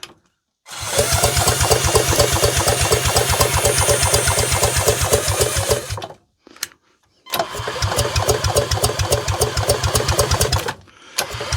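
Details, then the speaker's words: 1930s two-stroke mower engine spun by a drill in both directions: slow, uneven cranking bursts with a rhythmic chuff and no firing. No spark either way; the owner checks for a hidden kill switch. "Right, we don't appear to have any spark in either direction."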